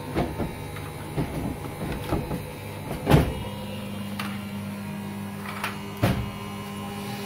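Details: Beko washing machine (model given as EV 7103) after a door fault repair, running a wash cycle: a few thumps as the drum gets going, then a steady even motor hum with only soft knocks; the washer is spinning normally.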